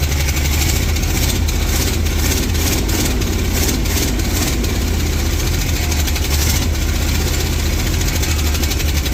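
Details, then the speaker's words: 1967–70 Dodge A108 van, 318 V8, three-on-the-tree manual, timing issues: rough, loud idle with intermittent metallic clanks from a loose exhaust hanger on the other side, not the engine; engine runs poorly, probably needs carburetor work. "That banging, don't worry about the banging. It's actually just the hanger for the exhaust on the other side. It's loose and it's clanking around on there. That's not the engine making noise."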